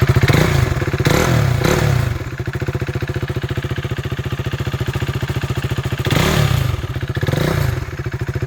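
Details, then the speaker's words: 2016 KTM RC 390 BS3, 29,000 km, ECU checked: even single-cylinder idle thump with two clean rev blips rising and settling, no abnormal sound, healthy engine. "അപ്പൊ ഇതാണ് വണ്ടിയുടെ sound ഒക്കെ കേട്ടോ sound വ്യത്യാസമോ കാര്യങ്ങളോ ഒന്നും വന്നിട്ടില്ല പക്കാ ക്ലിയർ ആയിട്ട് തന്നെയാണ് വന്നേക്കുന്നത്"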